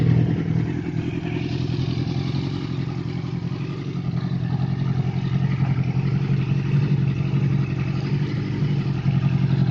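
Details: Yamaha R6 after engine rebuild, which had a knock at 4000–6000 rpm fixed by replacing timing chain tensioner; revs climb with smooth even drone, no tapping or knocking; normal revving.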